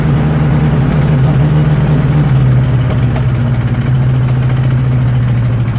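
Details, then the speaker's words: 1963 Nissan Junior ute, sat 15 years, leaking carburetor: low, uneven idle that wavers and sags as if starving; gap between intake manifold and head, gasket not seated properly, giant air leak with smoke fuming out. "There's actually a gap where the manifold is not meeting the head. So I would say the gasket is not on there properly. So it just has a giant air leak."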